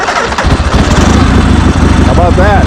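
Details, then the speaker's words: 1976 Harley-Davidson Sportster 1000 V-twin, Mikuni carburetor with enricher on, electronic ignition replacing points, cold start: brief crank, catches straight away into loud lumpy but steady potato-potato idle; healthy cold start. "Comes right to life, huh?"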